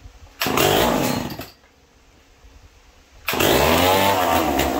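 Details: McCulloch Pro Mac 1010 chainsaw that had been smoking badly, started indoors on choke after its ignition wire was reconnected and the carburetor cleaned; revs hard in two bursts with a crisp, even two-stroke snarl and no misfire. Normal running.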